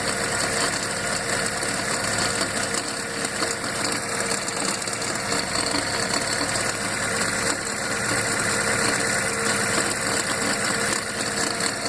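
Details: Fiat gearbox when cold: steady gritty bearing-like whirring under the engine note that disappears once warm; five mechanics called it normal. Fixed by changing gearbox oil and adding a tube of Molykote.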